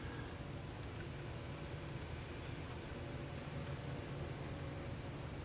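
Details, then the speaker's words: 1969-76 Corvette wiper motor on a test unit, relay wire disconnected: steady fast motor drone running on without pausing; wiper stays on high speed only and won't park, shouldn't be run long. "so here we go same deal highspeed only and wiper run on and if you listened last time you don't want to let it do it do that very long"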